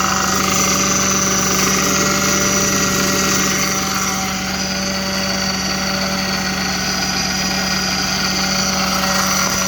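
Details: Audi 3.2 at cold start idle: steady high whine of constant pitch over the idling petrol engine.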